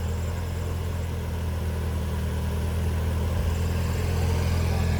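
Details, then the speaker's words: Honda RSX Type S idling with a light rough whirr under the engine drone, changing with clutch pedal; suspected worn clutch throwout bearing, not confirmed. "Yeah that's the thrw bearing thrw bearing is probably no good"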